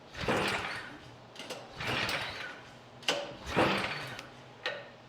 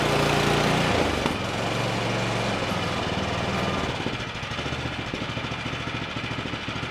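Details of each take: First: Craftsman Select 26 snow blower, engine 675-WUB, only a few years old, choke on then off, half to 3/4 throttle, primed: repeated recoil pulls, each a short rasping whir with no catch; no-start. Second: Craftsman Select 26 snow blower (model 31AM6C2FB93), 675-WUB engine, after fuel flush and carburetor work, warming up at about half throttle: steady, even putter with a clean regular beat and no misses after a loud start; normal running.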